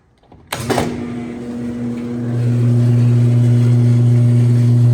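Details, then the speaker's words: Roper top-load washer, second washer being fixed up (worn agitator), tested at night right after reattaching a part glued with epoxy instead of super glue: motor kicks in, steady hum builds into even spin, no grinding or knocking; normal spin, timer fine. "my God it's working it's actually working dude okay that's like actually insane though I just fixed it like that sick"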